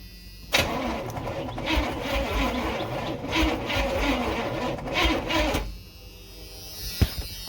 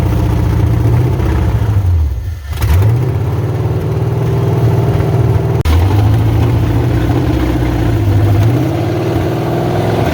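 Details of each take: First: 1986 Chevy Silverado C10 with a carbureted Vortec 350 swap and TH350, first fire-up attempt with gas poured down the carb: about five seconds of sluggish, uneven cranking. Battery cable heating up; owner suspects poor grounds. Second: 1986 Chevrolet Silverado C10 with carbureted Vortec 350 swap and TH350, first fire-up on open pipes: loud lumpy V8 burble with throttle blips, even firing, no knocking; timing fully advanced; engine healthy, possible transmission pump/torque converter binding suspected separately.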